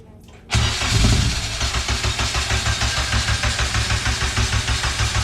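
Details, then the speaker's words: K-swapped Honda Civic after fuel tuck kit install, cranked to check for fuel leaks with the throttle body removed: steady starter cranking at roughly three beats a second that never catches; expected no-start, no leaks found. "the car won't start they have no throttle body on but it'll crank it and see what happens"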